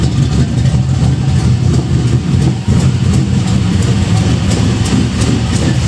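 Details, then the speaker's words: Budget Chevelle V8 after fitting a used exhaust from a 70s Caprice: much quieter, but a lumpy idle with a sharp puffing tick on each firing pulse up front; sounds like an exhaust leak at the header flange. "like it quieted up quite a bit. Does sound like I got a pretty good exhaust leak up here."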